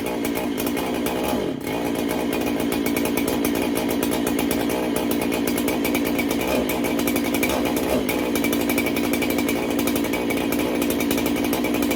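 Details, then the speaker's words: Freshly built 371 performance chainsaw being broken in, cold start: catches and holds a steady high buzz with a few brief dips in speed, otherwise running cleanly; everything seems to be in order. "otherwise everything seems to be in order"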